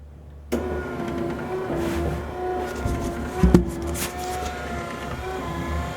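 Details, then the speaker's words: SPW windshield wiper kit motor relocated in a 1957 Chevy, running on a two-speed switch, no kick panels fitted: modest electric whir cycling evenly at low speed with no knocks; healthy wiper motor, slightly noisy. "so you can hear the noise that the motor makes it's a little bit of noise not very bad and will probably quiet down once the kick panels cover the motor itself"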